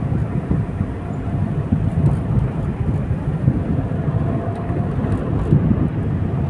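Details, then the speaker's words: Suzuki Celerio 3-cylinder, driving on the road: steady low road rumble with no rising drone or rhythmic hum; wheel bearing noise gone, bearings healthy. "Wala nang ingay yung bearing niya."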